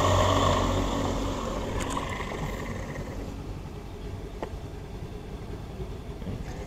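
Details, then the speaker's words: Water pump (National imitation) after service, with a supposedly new but damaged bearing left unreplaced: coarse gritty rumble over the motor hum; rough running from worn bearing. "kasar, tapi ini kasarnya karena bearingnya rusak."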